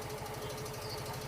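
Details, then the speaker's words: Yamaha Fino scooter: loud quick regular tik-tik ticking, roughly a dozen a second, appears when throttle is opened slightly off idle and vanishes back to smooth when released; mechanic suspects worn camshaft. "Lihat, suara itu jelas: tik-tik-tik-tik-tik. Jadi, ketika gas dilepaskan, suara tersebut menghilang dan menjadi halus kembali."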